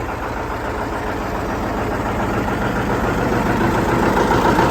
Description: Disking ground with a John Deere 730 tractor and a John Deere RWA disk